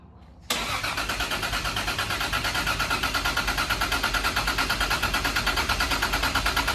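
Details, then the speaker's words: Toyota GX100 Chaser with swapped 2JZ-GTE, first startup after wiring faults were fixed, untuned and warming up: quick catch, then a crisp, even idle pulsing about three times a second with no knocks or misses; healthy, ready to tune. "That sounds good. Ready to tune."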